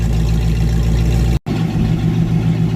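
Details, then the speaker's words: 1994 Ford Mustang GT convertible V8 with an open H-pipe: loud idle with a faint irregular stumble in the lope. A slight miss at idle is made more noticeable by the open exhaust. "That ever so slight engine miss is even more prevalent with the open exhaust."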